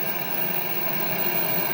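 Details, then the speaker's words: 1978 Pye CT450 (Philips G11 chassis) colour TV, first switch-on after mains power switch replacement: steady faint buzz with hiss, no crackles now; the buzz is normal for the G11. "No crackles now. If you're wondering what that buzz is, yep, this is a Philips G11, so that's what the buzz is. Yeah, they just make that noise, so."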